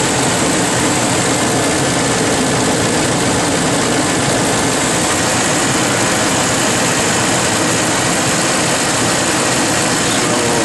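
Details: Ford F-150 V8 after replacing a stuck VCT solenoid and sensor to fix a rough idle: deep, steady rumble with no misses, knocks or ticks; normal idle after repair.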